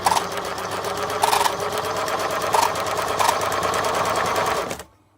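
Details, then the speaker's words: Singer Model 527 sewing machine running with experimental laser-cut cams: steady whirring with four sharp squeaks over about five seconds, caused by a misaligned cover plate. "squeaking you can hear is a misaligned hover plate but we'll fix that in a minute"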